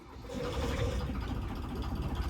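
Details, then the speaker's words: 1977 Folkes 39 steel cruiser's freshwater-cooled 30 HP 3QM30 diesel, about 541 hours since 2005 rebuild, dead cold start: short crank, catches on the first go and settles into a steady low knocking idle, no stumbling; normal cold start. "Wow, it doesn't get much better than that. Fired on the first go. Beautiful. Gotta like that. Fired right up right instantly."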